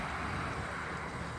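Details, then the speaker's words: 2017 Honda CR-V EX started by remote engine start (lock, then hold the key fob button): a steady, even engine hum with no knocks or misses, a healthy idle. "And just keep holding it, and there you go. It'll start, flash your lights at you to let you know it's"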